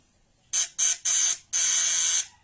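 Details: Rewound contact point (vibrator) bench-tested on two 12 V batteries in series for 24 volts: sharp high-pitched buzz in four short, even bursts; normal vibrator buzzing, not heating up at 24 volts.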